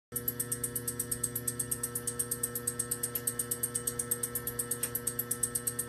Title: Hi pitched ticking noise on CP pump